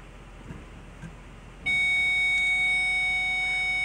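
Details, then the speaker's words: Nissan Titan backup sensor diagnosis, after restarting: quiet cab, then a sudden steady high-pitched tone with no gaps, the close-range warning working; it only beeps once in the red zone, possibly because cheaper sensors were fitted. "so as you can see well actually as you can hear now everything's working so if we move further away there we go now I don't know what they did maybe they put cheaper cheap sensors onto it or something but it only starts to beep when we read about in the red"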